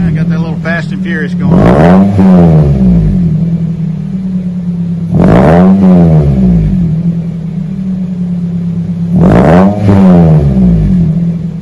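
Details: 2001 Toyota Celica GT 4-cylinder after new axle-back exhaust with Magnapack muffler, stock front, 4-inch stainless tips: three clean throttle blips rising and falling smoothly, mild deep rumble, nothing rattling; healthy exhaust rumble.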